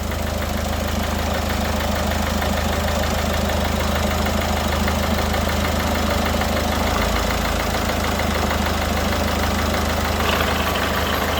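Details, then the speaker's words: Peugeot Partner 1.6 HDi diesel idling after injector seal replacement: steady, even low rumble with soft regular clatter, no ticking or puffing; compression leak noise gone. "Donc c'est bon, j'ai terminé l'intervention. Donc il me reste qu'à démarrer. Je vais démarrer. Donc c'est bon, le bruit est parti."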